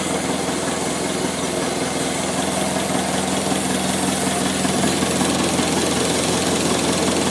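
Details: 1955 McCormick Super FC-C Utility tractor, about 30 seconds after first start following a rebuild of a fully seized engine: even, steady idle with no knocks or misses; a slight squeak on the right side is the oil pump and filter purging air.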